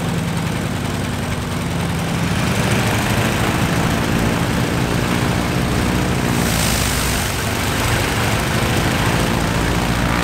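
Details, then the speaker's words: Stinson L-1 radial engine after dead left side of duplex magneto replaced with overhauled mag: starts right up, loud steady roar running evenly with no stumbles or misfires; some oil smoke from exhaust noted, attributed to oil lying in engine. "[Applause] that's finally good news started right up good next master fuel"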